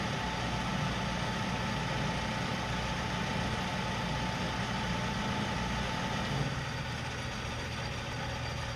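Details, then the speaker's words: Lathe drive motor, previously running smoothly, suddenly hums without turning during lathe leveling: steady low hum with faint high whine, no speed rise; energised but stalled, to be pulled for inspection or replaced. "the motor have been running so smooth just suddenly as you heard it it started humming and not turning"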